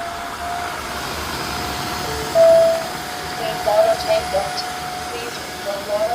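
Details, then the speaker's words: Tineco Floor One S5 after repair of a non-running suction motor: steady, even motor hum with a clean constant whine and no rattles or surging; the suction motor now runs normally. "Now as you can see it works very well and you can hear the suction motor that is it is also turning."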